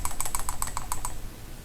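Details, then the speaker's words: Bicycle hub after pressing both bearings in, not tightened enough, quick light metallic clicks as the hub moves from the bearing spacer flopping around inside: loose bearing spacer rattling. "Okay, both bearings are in now. That's not tight enough."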